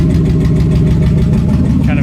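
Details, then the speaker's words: V8 with turbo running on seven cylinders at idle, back cylinder dead after being driven with improper tuning; loud, deep, lumpy stumbling pulse instead of an even beat, a little miss; dead cylinder misfire. "it's a little miss or whatever"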